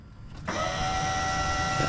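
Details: 1949 Chevrolet truck with an LS engine and about a quarter tank of fuel, at key-on: a steady, high-pitched electric whir starts and holds level. This is the fuel pump priming normally.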